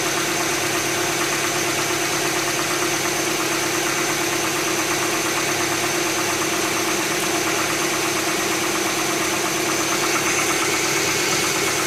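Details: 2007 Tucson 2.0 16v GLS, cold-start morning noise that fades after about 10 km of driving: fast, fairly even ticking close to three per second over a cold idle; top-end tick, mechanic suspects lifters (tuchos), unconfirmed.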